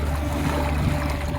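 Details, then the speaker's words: Haswing Ultima 3.0 electric outboard, 3-4 hp, 20Ah lithium battery, on a 19ft Macgregor trailer sailer on a lake: steady high whine at full power over water and wind rush, even pitch, about 3 knots; normal motor sound. "Straight into full power. You could hear the whine, and let's see what sort of speed we're getting up to now."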